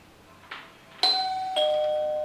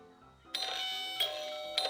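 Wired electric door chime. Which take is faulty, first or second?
second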